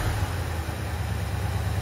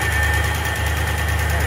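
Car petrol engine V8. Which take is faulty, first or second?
second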